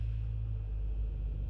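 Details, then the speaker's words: BMW 535i F10 N55 at 105,000 miles, just after VANOS solenoid replacement, check-engine light gone: deep even rumble, smooth warm-up idle settling down with no stumble or miss; normal warm-up idle. "Sounds good. Sounds damn good actually for 105,000 miles, if I do say so myself. All is well, the idle is starting to come down."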